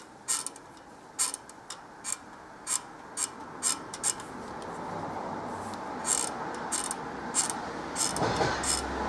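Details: Light, sharp knock about twice a second in time with the turning pulley, then becoming uneven; knocking pulley, cause unconfirmed.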